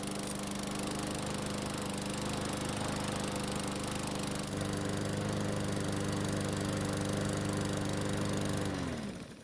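Small single-cylinder engine runs steady and even at constant speed for about nine seconds, then winds down smoothly when shut off.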